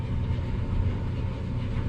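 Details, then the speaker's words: Maytag LDE6914ACL dryer after DIY belt and drum guide replacement, after 5–10 minutes settling in: low, even drum rumble with no thumping, squeal or scraping; runs nice and smooth, repair a success. "Nice and smooth. So it looks like a success."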